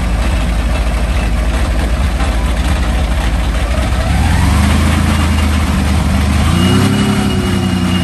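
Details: Meteor Interceptor car with Centurion tank V12 engine, first complete drivetrain test on jack stands after rewiring; warm idle at 540 rpm, coolant 78°C, ignition 10° BTDC, alternator 14.0 V: smooth, deep low rumble with brief clean throttle blips, running well.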